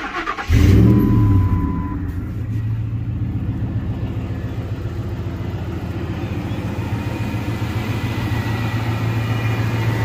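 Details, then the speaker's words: 2001 Ford F150 5.4 two-valve V8, two-wheel drive, 277,000 miles, new exhaust: quick crank, catches right away and settles into a deep, even idle with no misses or knocks. Runs real good; clean start. "Runs good. Runs real good. He just had exhaust put on it."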